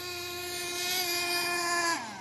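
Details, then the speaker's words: HPI Savage nitro RC truck: steady high-pitched buzzing scream held near full revs, dropping sharply off throttle; engine sounds like it is revving high, owner unsure whether it is running right. "I don't know is it running right guy hit me in the comments it sound right for you I guess maybe it's just me just sounds like it's revving"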